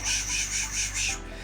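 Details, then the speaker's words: Scotts Classic 20" 5-blade reel mower with electric conversion kit, reel spun slowly in reverse with 100-120 grit lapping compound: even hissy rasp pulsing about five times a second, grinding smoothed out, time to add more paste. ">> Now, as you're spinning this, you're going to hear it grinding and then the sound is going to kind of smooth out."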